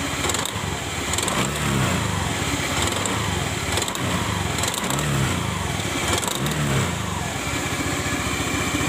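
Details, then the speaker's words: Honda Beat-type CVT scooter, kick-started because the electric starter is dead: a rough, crackling "kretek" rattle swells with each throttle blip and persists at speed. Teardown found the rear CVT shaft worn, grooved and nearly used up. "bunyi ini rasanya kalau lagi laju agak kencang dia Bunyi terus kretek kretek kretek"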